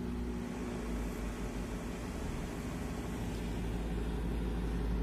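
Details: Repaired Daewoo microwave oven (door switches/misalignment fault), 10-second test run checking the marked stirrer fan turns: even low buzz with steady hum underneath, no clicks or grinding; runs normally.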